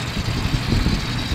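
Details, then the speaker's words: Toyota FJ60 Land Cruiser, warmed up, with an engine installed after sitting 3–4 years: a low, fairly even idle with no clear knock or tick. It sounds healthy, though blue smoke shows on throttle; owner unsure if the rings are at fault. "So here it is running. Sounds good,"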